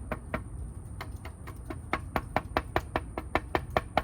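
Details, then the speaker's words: Store-bought air-dry clay piece with added sand, after a primitive no-kiln fire, cracked away from its patch: light irregular taps each leave a short, clear mid-pitched ring; fired like ceramic despite the crack. "But let's see if it fired. It did. You can hear it. Sounds like a"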